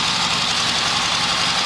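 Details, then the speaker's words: 1972 Harley XLH Sportster (homemade 1973 build) on the enrichment circuit: uneven, lumpy V-twin idle with a ragged, stumbling beat; faulty carburetor leaking fuel, probably from the accelerator pump, and it stalls on the idle circuit. "I figured I'd show it to you running. Definitely got issues with the carburetor."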